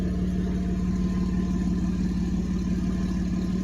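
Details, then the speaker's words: 1991 Mercedes 190E at idle after rear exhaust work: deep throbbing rumble with a faint quick cricket-like chirp, from leaking pipe donut gaskets between cats and resonator; resonator baffle was destroyed and rattling. "Yeah, the exhaust is rumbling, but I just have those like cricket sounds. That's where it leaks through pipes, but that's already further up, not in the resonator and the exhaust."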